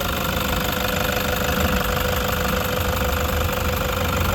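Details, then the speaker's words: 2016 Toyota Hiace 3.0 diesel, owner feared engine noise from non-genuine oil: steady, even diesel clatter at idle with no knock or squeal; engine sound normal. "normal naman yung tunog mga paps. Ganyan talaga tunog ng diesel."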